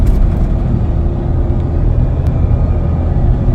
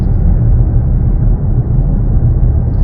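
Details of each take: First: Nissan Navara STX 550 while driving: steady mid-pitched whine like a running tap over road rumble from the rear differential; pinion bearings suspected from a hoist run-up, not confirmed; before repair. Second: Datsun rear differential, about 120,000 km, test drive after repair for a howling diff: steady low road rumble with no rising or falling howl, so the diff now runs quiet as it should.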